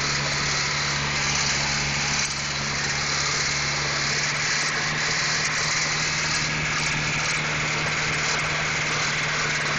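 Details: Honda H22 engine at steady idle: a faint, light ticking rides over the engine hum. A knock is present; cause not determined.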